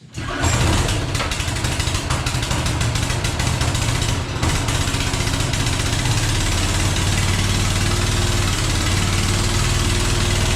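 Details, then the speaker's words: Yard-sale small engine with fuel, no manual choke: fires right away but runs at steady choppy low speed that never climbs; owner suspects an automatic choke is preventing it revving. "goes okay it runs but it i think it's got an automatic choke on it and it sounds like spinning around this way sounds like that is what's preventing it from revving up"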